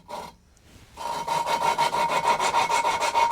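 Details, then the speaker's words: Rebuild engine cylinder head, hand-lapping a valve with coarse grinding paste and sucker: gritty rhythmic rasping about three strokes a second that smooths as resistance goes; seat forming a uniform grey edge. "Has immediately started to put a nice edge on that. Nice uniform grey edge. That's all it needs to be. See that the sound's changed. There's no resistance now. It's sliding around beautifully on that."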